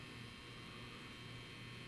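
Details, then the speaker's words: Tripp-Lite LC1800 line conditioner cleaning the modified sine wave output from a DeWalt DCB1800 power station: steady low mains hum with faint hiss, the transformer humming normally. "a closer to Miller you hear humming that's the transformer and the the transformer and things behind it cleaning up cleaning the power up for the modified sine wave from the DCB 1800"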